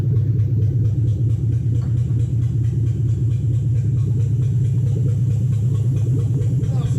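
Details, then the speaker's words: 2007 Toyota Hilux 4x4 with swapped 3UZ V8, first runs after swap: deep, lumpy idle, uneven beat about two pulses a second; misfire, suspected lost coil on one side, right-hand side later sorted and running properly. "i think we've lost a coil on one side"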